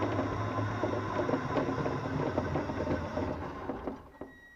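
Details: Blue Mini Cooper S RC car driving, with irregular light clicking about three times a second over a steady motor whir. The owner suspects rear rocking makes the front suspension hit the bodywork or bottom out; he earlier suspected a bent back right axle.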